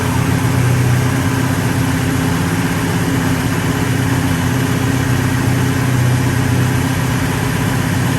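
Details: 1966 Pontiac GTO convertible V8 after white-smoke repair on a new engine: steady, even idle with a smooth low rumble, no misses, knocks or ticks; sounds healthy.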